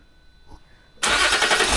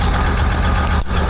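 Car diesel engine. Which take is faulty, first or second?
first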